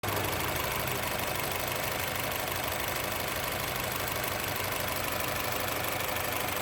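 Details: Honda City engine idle pulses unevenly, about three thumps a second with a shaky, lumpy beat and no steady rhythm; rough idle.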